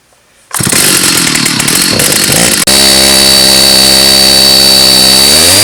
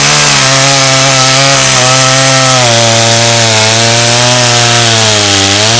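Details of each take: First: Stihl 084 AV chainsaw, about 35 years old, found discarded, first start after repair, backfiring: ragged and uneven for two seconds, then screams at a steady high pitch creeping upward; sounds poorly tuned, carburetor L/H adjustment suspected needed. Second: Stihl 084 AV chainsaw, about 35 years old, rescued from the tip and repaired, cutting a slab from Australian red gum: a steady loud two-stroke howl holds high revs, slight sag under load, no misfire; healthy cut.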